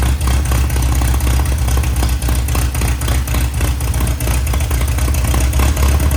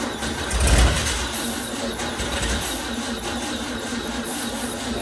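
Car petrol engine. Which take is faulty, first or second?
second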